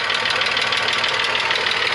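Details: VW Passat Variant 35i VR6 started after a long time standing unmoved in a hall: fast, even ticking over a steady idle with upper-end clatter; owner suspects hydraulic lifters, not confirmed.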